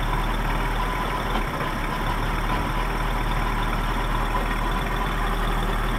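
Low, uneven idle rumble with an irregular beat and no steady rhythm; the outboard is idling rough, cause unknown.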